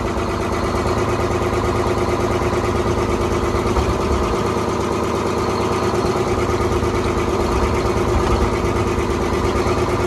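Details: 1970s Crane Carrier 10-wheel-drive truck, Detroit 6-71 two-stroke diesel, after freeing four stuck injectors: busy, even rattling drone running steadily on its own fuel, no misses or stumbles.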